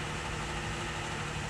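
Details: Car previously crank-no-start, now started after repair: steady, even low idle with a smooth rumble and no knocks, ticks or misfires, with engine vacuum reading about 17–18 inches. Check engine light on only from unplugged components; the engine sounds healthy.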